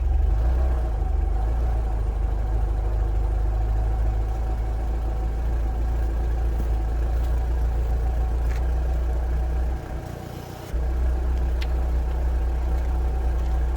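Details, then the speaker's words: Renault Clio RSi after replacing a loud, ill-fitting boomy aftermarket exhaust with original Renault centre section and rear box: deep steady idle rumble, smooth even pulse, no boom or rattle, healthy exhaust note. "so let's start it up and hopefully it sounds a little better than what it did"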